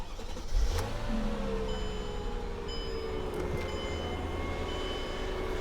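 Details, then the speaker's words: Flip project car, just delivered from Arkansas after it couldn't be started: engine fires quickly and settles into a smooth, steady low idle with no knocks or misses; normal start and idle. "The guy couldn't even get the car started, so I started it, and it sounded beautiful."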